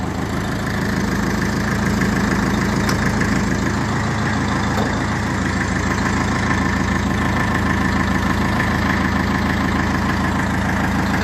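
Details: 1954 Ferguson TE20 (TEF) diesel tractor idling after a heater-plug-assisted cold start, unstarted about three weeks, heater plug rewired with heavier wire; steady, even diesel clatter at about two hundred beats a minute, no misses or knocks: normal idle.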